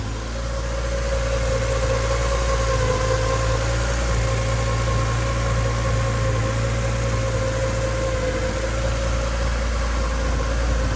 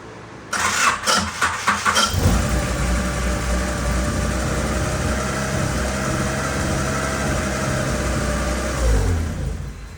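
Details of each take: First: 1989 Honda CRX Si project, after radiator repair; engine smoothed out from earlier misfire-like running and now idles evenly with no stumbles, though an exhaust leak at the rear causes spitting and sputtering. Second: 1989 Honda CRX Si project car starting up: cranks, catches with uneven throttle blips, then settles to a slightly lumpy idle, sounding a little misfiery at first before cleaning up; an exhaust leak toward the rear causes spitting and sputtering.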